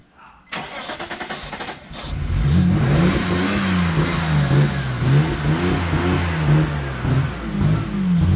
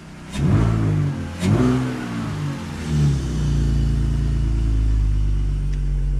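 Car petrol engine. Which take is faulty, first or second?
first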